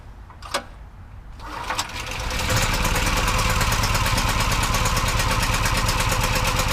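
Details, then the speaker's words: Brand-new Champion 46596 portable generator (4000 starting, 3500 running watts) on gasoline: the pull cord rasps, the engine starts on the first pull and settles into a steady, even governed run. Normal start and run. "But it started up first pull. You know, it's brand new. I pretty much expected to, but it's always a good feeling."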